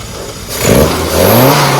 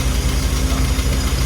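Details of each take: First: Classic car engine after ignition timing was corrected from 2 degrees, having earlier run very rich, with the fueling still to tune: repeated clean throttle blips, revs rising and falling smoothly with no misfire, sounding much better. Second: Carburetted engine at idle during tuning, mixture reading about 1.03 to 1.05 lambda: low idle with uneven, labouring beats that never settle smooth; struggling because the idle mixture is too lean.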